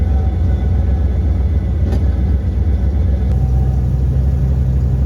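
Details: OBS Ford after a Saginaw power steering pump swap fixing steering whine: steady low engine rumble pulling evenly under light acceleration, no pump whine; quiet, healthy power steering.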